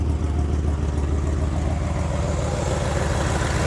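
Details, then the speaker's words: 1966 Pontiac GTO, original 389 V8 with four-barrel carburetor, points ignition, dual exhaust: deep, lumpy idle with a faint puffing tick riding the beat from a slight exhaust manifold leak. "got a little bit of an exhaust leak in the manifold. That's no big deal though."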